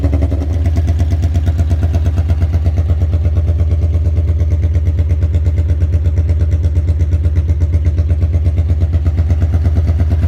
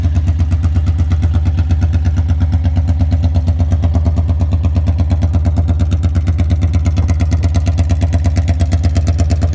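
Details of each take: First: 1982 Honda Magna V45 VF750C V4, cold start just after an oil change to Shell Rotella T4 15W40 with K&N filter, choke held with a zip tie, to free up sticking clutch discs: catches right away into a steady, even burble with no misses or knocks. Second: 1982 Honda Magna V45 VF750C V4, warmed up after an oil change, with no muffler fitted: a raw, loud, even exhaust beat at a steady idle, running smoothly but far too loud.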